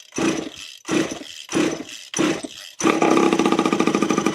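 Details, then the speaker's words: Scrapyard water-cooled two-stroke mini moto, possibly an SQ Blata B1 replica, probably unrun for years, fresh premix fuel, choke on: a few pull-start bursts, then it catches into a crisp, even two-stroke crackle. Running properly. "Told you. Oh, can sounds good as well. Sounds like sounds like like a 500cc. Is this a KX 500?"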